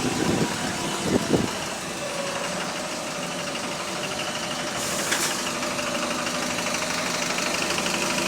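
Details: Bus HV48 heavy diesel on route 335 idling and pulling away: an uneven knock about once a second under the rumble, described as loud rod knocking. Engine knocking.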